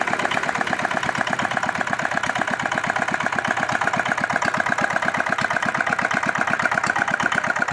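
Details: R180 single-cylinder diesel, earlier failing with bearing trouble after crankshaft and bearing replacement, now rebuilt with injection spray confirmed good: even, steady idle putter, every beat alike, no knock or clatter; runs cleanly.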